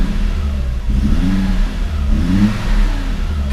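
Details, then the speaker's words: 1987 Audi 5000 CS Quattro CIS petrol engine after fuel injector replacement, started after cooling 20–25 minutes. It starts immediately, takes two throttle blips smoothly, and drops straight to an even, steady idle with no lumpiness, suggesting the injectors caused the fueling issue. "that revs out so smoothly comes down to a nice even idle immediately right when you start it up there's no lumpiness that it has to resolve it's just right into a good idle"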